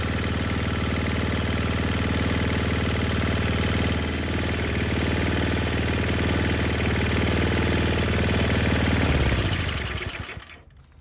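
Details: Murray Ultra 5 hp snowblower with Tecumseh engine after carburetor cleaning, throttle on: steady, even single-cylinder putter for about nine seconds before shutoff; normal running.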